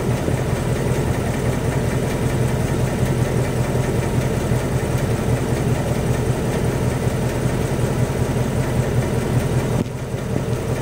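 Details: 2018 Mustang GT V8 at idle: a faint, somewhat irregular knock about once a second under the rumble. The owner asks whether it is rod knock or piston slap; the cause is unconfirmed.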